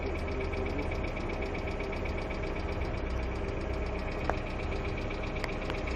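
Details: Hyundai Accent II at quiet idle with fast, light, even ticking on top of the engine hum from noisy hydraulic lifters.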